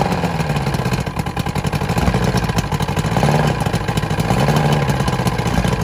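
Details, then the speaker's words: Vintage Evinrude SPL 88 outboard just started cold after winter storage, about 23 degrees overnight, water flowing: steady low burble with slightly uneven two-stroke patter, no knocks or rattles; normal cold idle. "um it was 23 degre I believe last night so this thing fired up no problem"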